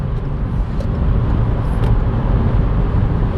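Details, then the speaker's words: Kia Stonic gasoline, 100 hp 1.4 L engine, 6-speed automatic, front-wheel drive, full-throttle kickdown while driving: loud, steady, somewhat strained drone pulling evenly, no knocks or misses; healthy engine working hard, not pleasant-sounding. "가속 페달을 꾹 밟으면 자, 엔진 소리가 좀 살아나죠. 그렇게 썩 듣기 좋은 엔진 소리는 아닙니다만 어쨌든 부지런히 엔진이 돌아가고 있습니다."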